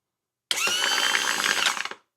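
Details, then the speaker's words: Trim pump from a '96 Bayliner MerCruiser, bench-tested on a battery after solenoid replacement; steady, even electric motor whine, starting and stopping cleanly; normal trim pump motor run in both directions, with fluid pumping out. "That's the other. Sweet. Solenoids are working. Both directions now, and that means the motor's good."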